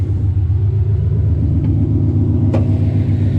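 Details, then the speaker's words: Coyote-swapped Fox body Mustang after a new fuel hose was installed: deep, steady lumpy V8 idle with even rumble, no misses or knocks; fuel pressure confirmed at 60 psi, fixed. "Aha! Sounds like she's supposed to."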